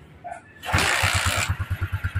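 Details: Honda Alpha single-cylinder motorcycle after repair (connecting rod, bearing, clutch lining and gaskets replaced; it was very noisy before) cranks, catches and settles into an even, steady idle thump without knocking: normal idle.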